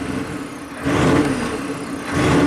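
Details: 1995 Chevy K3500 6.5 turbo diesel, 160,000 miles, original pedal refitted, no codes: idles, revs rise only slightly on two pedal presses, boost barely changing; sluggish response within uncontrolled revving fault, cause unknown.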